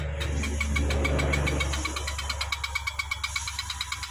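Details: Electric bicycle hub-motor wheel, throttle run on the bench, wheel wobbling: motor drone winds down leaving a loud regular clicking about three times a second with each wheel turn; hub fault, cause not yet found.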